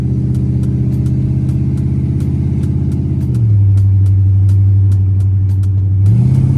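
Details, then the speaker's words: Chrysler 300C 5.7 Hemi with long-tube headers, after a fix for missing driver-side header bolts that caused clunking: a deep, even V8 growl swelling smoothly on load with no ticking or clunking; headers sealing and a normal exhaust note. "Now that's the sound of American muscle right there, baby. That's what I'm talking"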